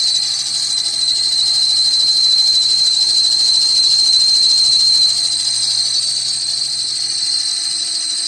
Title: Pulley noise on '99 Dodge Caravan.